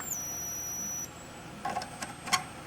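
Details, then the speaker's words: 1956 GE 14T014 portable black-and-white TV with horizontal frequency set fully up. A steady high-pitched whine changes pitch as the horizontal output tube plate cap is connected and disconnected, then cuts off: the horizontal output stage is singing. "that's disconnecting the um horizontal that's connecting the horizontal plate"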